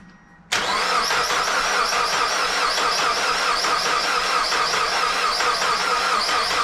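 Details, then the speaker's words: Mazda Miata after timing belt, valve seals, water pump and pulleys replacement; starter churns with even chug at full throttle but never fires; owner suspects timing is out, crank timing marks possibly set wrong; cranks but no start. "try full throttle any sign of maybe it's not in time"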